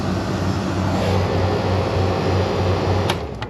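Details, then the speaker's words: Refrigeration unit during condenser replacement, king valve closed: steady low compressor hum with faint regular pulse and even load, clicks near the end, as it pumps down remaining refrigerant before cutting out; normal pump-down. "I closed off the king valve I'm pumping the unit down right now to suck all the gas that's left in this tank out"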